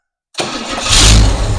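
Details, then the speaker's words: Engine on first startup during camshaft break-in, carburetor, transmission and engine unknown beforehand; starter catches quickly, settles into steady even run, no knocks or misses; engine judged great, coolant circulating, carburetor and ignition fine. "Uh, engine sounds great. Coolant circulating. Carburetor's fine. Ignition's fine."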